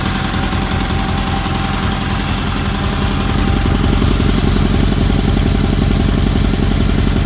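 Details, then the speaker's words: Roper project engine with solid lifter cams, lash about 0.008 in intake and about 0.013 in exhaust; steady running with a light, even clatter of valve ticks following engine speed, normal for solid lifters. "sounds good you can hear the valves ticking they all do that that's because they had salt lifter cams and you have to leave the flat tap it's open a little bit so they all clatter a little bit"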